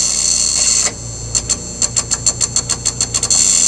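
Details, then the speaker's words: 1984 Ford L8000 with Caterpillar 3208 diesel, unrun 3–4 years, batteries after charging: rapid light clicking about six a second with faint hum, no cranking; batteries too weak. "all right there's not enough juice there so we're going to go and um take these batteries out and uh slap these other ones in there"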